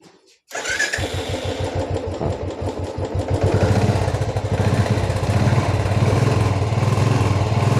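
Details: Royal Enfield single-cylinder, after fitting a filter against the tank rust that had caused misfiring: it catches at once and settles into an even, steady beat with no misses; running smoothly.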